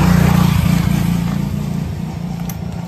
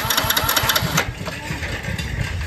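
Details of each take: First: Motorcycle started on the electric starter after its regulator-rectifier was reconnected: catches after a brief crank and settles into a steady, even single-cylinder thump at idle, no knocks or misses; normal. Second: Motorcycle with regulator-rectifier removed and its two ground (body) wires joined, key on: starter whirs briefly with even pulses but no firing; grounded kill wires cut ignition, starts once regulator is reconnected.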